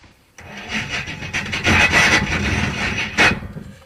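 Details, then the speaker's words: 1974 Jaguar XJ12 drag car (Draguar) with blower belt off, cranking: harsh, rasping grind in uneven bursts with no clean catch as the starter had worked loose and was found fully falling off, dangling; bolted back on. "I know everything else I have bolted on fell off but that was tight start is fully falling off it's a dangler"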